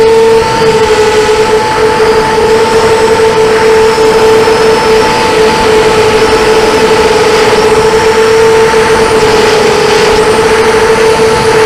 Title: bad bearings 250